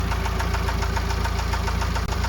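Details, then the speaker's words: Diesel MINI with loud, fast, even knocking over the idle, steady beat to beat; cause not yet investigated or confirmed. "as you can hear the loud knocking noise coming from the engine on this car"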